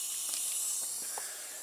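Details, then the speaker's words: MFJ-4275MV switching power supply, powered on: steady high fizzing hiss with crackles. Failing capacitor. "yeah you guessed it this power slide is suffering from bad capacitors or bad capacitor so yeah let's turn it off before it explodes"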